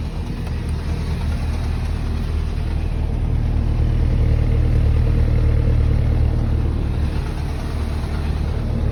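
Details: R56 Mini Cooper S cold start at idle: low steady hum with a faint, fairly regular knock underneath; the timing chain was already replaced, and the knock is much quieter than before but still present.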